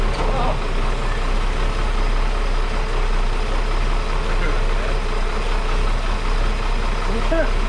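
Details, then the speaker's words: 1961 Ford Falcon Delivery after exhaust fix, oil change and wiring work; low steady idle with even beat, no misses, knocks or ticks; running smoothly. "running smoothly it had an oil so we got it running"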